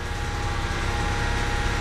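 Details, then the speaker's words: 2014 Ford Escape Titanium AWD EcoBoost, 108,000 miles, no check engine light, oil and coolant fine: a steady mid-pitched whine over the idle that comes and goes; automatic transmission whine suspected, not confirmed. "Everything is literally fine except this noise."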